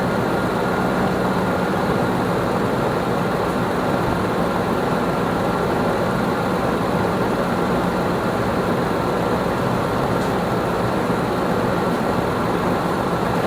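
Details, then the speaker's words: 2006 Nissan Armada 5.6 V8 (body 185,000 miles) freshly swapped and running: a smooth, even idle with a steady low hum and no knocks or misses. Normal idle. "Motor sounds real good though. It's got 185,000 miles on the body."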